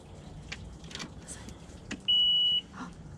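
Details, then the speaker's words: Tracker Targa V18 outboard, first start of the 2020 season after Bass Pro winterized it, in driveway. Single steady high beep about half a second at key-on; normal warning horn self-test, battery good. "We got tone. We got good battery."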